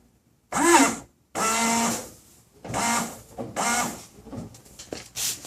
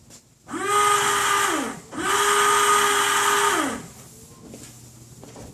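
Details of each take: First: 1995 Toyota Tacoma, 235,000 miles, washer pump test after a fiberglass-and-epoxy repair of the cracked washer fluid reservoir: short firm buzzing bursts, clean starts and stops, strong flow, no leaks seen. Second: 1995 Toyota Tacoma, 235,000 miles, windshield washer pump activated: two 1.5-second bursts of steady buzzy mid-pitched whine; reservoir possibly empty or leaking from cracked reservoir or hoses, or pump bad, cause unconfirmed.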